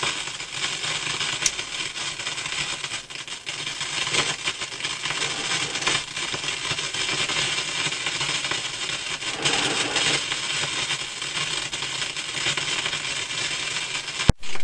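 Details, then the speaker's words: Philips console stereo tube receiver with pops and crackles: constant loud hiss with random crackles and crashes from one speaker, persisting with volume turned down, so the amplifier stage is suspected. "All that static and crashing was coming out of one speaker. When I turned the volume down, it was still making all that noise. Sounds like that's the amplifier."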